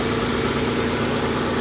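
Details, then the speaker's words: Salvage-auction car with aggressive exhaust, a little blue smoke, alternator charging at 13.5 V, timing belt suspected overdue: even, steady idle with a deep exhaust note, no knocks or misses; runs well and quiet. "but it runs good though it does it runs really well it's nice and quiet"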